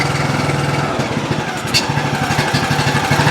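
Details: John Deere LA105 riding mower with 74 hours, previously running only on choke, after carburetor repair: single-cylinder engine starts and settles into a steady even putter with a brief sag at low idle; running normally.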